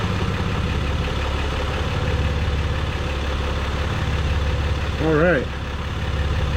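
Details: 2023 Jeep Gladiator Rubicon EcoDiesel, just started after fuel filter replacement and priming: steady low diesel rumble at idle with an even beat, no misses or knocks; normal healthy idle.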